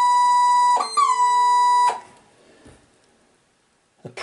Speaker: horrible noise very loud noise with Simone in the background what sounds like a saxophone sound